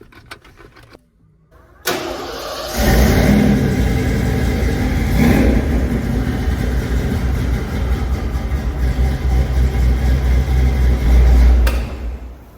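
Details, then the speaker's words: Family truck just brought back to running after timing chain replaced in the shop, timing still to be set: brief crank, catches cleanly, steady even run with no ticking or rattle; normal start and idle. "Okay, that's all you get. But my truck's running."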